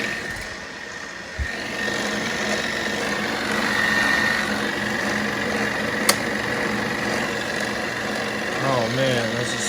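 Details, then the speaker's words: 1940s RCA 16mm projector running forward after a replacement spring drive belt and greased gears: an even mechanical whirr with a steady clatter of about four beats a second and no slipping or grinding; running smoothly. "okay put some grease on the gears guys going smoothly oh man it sounds good girl's turning"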